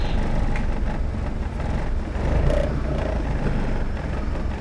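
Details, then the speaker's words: Mitsubishi 4G92 automatic, after repair of hesitation, no idle and misfire (coil, plug leads, airflow sensor): low even idle around 900 rpm under AC load, no hunting or stalling; idle stable. "แอร์ก็ได้ประมาณนี้แล้วครับจะให้นิ่งกว่านี้ก็รู้แล้วครับต้องซื้อรถป้ายแดงแล้วอ่ะ"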